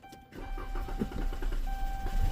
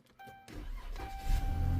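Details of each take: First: Car that stalled and won't start, cranked with throttle-body cleaner sprayed into the intake: rapid cranking for about two seconds, then it catches and revs; fuel pump suspected, power and ground not yet checked. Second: Car that would not start, right after fuel pump replacement, push-button start: short crank, then it catches at once and settles into a steady low rumble. A clean quick start.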